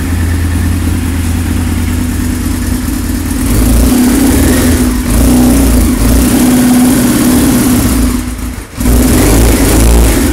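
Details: 1999 Yamaha R6 engine, first start after rebuild with new cases, pistons and transmission: strong, even inline-four note blipping up and down cleanly with no knocks or rattles; normal revving.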